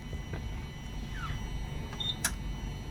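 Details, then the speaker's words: HPLC system with TMAE SEC column after a 10 ml/min purge, switching to buffer B (1 molar) to charge the system: one crisp click over quiet hum as the solvent valve switches normally. "switched. So now you're charging the whole system with buffer B, which is the 1 molar"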